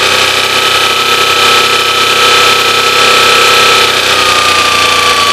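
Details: 1986 Honda VFR400 NC21 motorcycle at idle: busy high-pitched idle with a fast tapping clatter and a steady whine; knocking at idle, cause unknown.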